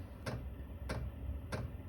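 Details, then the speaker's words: Chinese 12 V diesel air heater in a snowmobile trailer, battery-powered, at startup after the glow-plug cycle: the fuel dosing pump gives three crisp, evenly spaced clicks about 0.66 s apart over a low hum; normal. "And what you're gonna hear, the pump will start kicking on. It starts making a little clicking noise."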